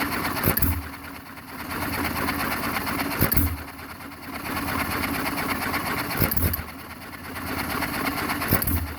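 Sharp firing bangs every few seconds with quiet coasting between, the even hit-and-miss rhythm of a healthy stationary engine.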